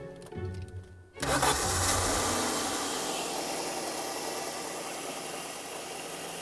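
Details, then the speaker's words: After intermittent no-crank, disturbing the starter's main lead that also powers the coil packs cured it: brief crank, engine catches at once and settles to a steady even run; starting normally. "What can I say? You fixed it. Sorry. What I've done is I've gone to the starter motor to move the wire that activates the solenoid, but at the same time I've disturbed the main lead, and that gives power to the coil packs."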